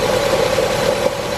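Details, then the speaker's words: Nissan with about 150k miles idling with cylinder 4 misfire (code P0304); engine visibly shaking, rpm less erratic after codes cleared and check engine light now off; uneven idle with occasional stumble. "you guys can't really tell but it's shaking pretty good rpms aren't jumping as bad as they were when we didn't have the codes cleared but now that they're cleared it's definitely not as bad but you can hear it"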